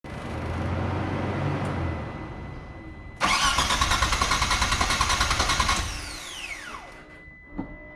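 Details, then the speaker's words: Mitsubishi 3000GT VR-4 during install of a new AEM fuel pressure regulator, gauge and fuel pump: starter cranks at an even, quick chug for a few seconds then whirs down, never firing; crank no start with no fuel pressure. "there's no fuel pressure there's no fuel pressure"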